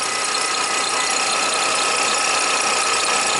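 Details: Toyota Highlander (2007 or 2003), almost 200,000 miles, idling after the boost pack is removed at 11 volts, with alternator output climbing from 22 to 27 amps. A thin, steady high squeal: failing alternator with a bad diode.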